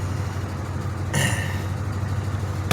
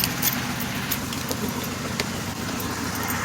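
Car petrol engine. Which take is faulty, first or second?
second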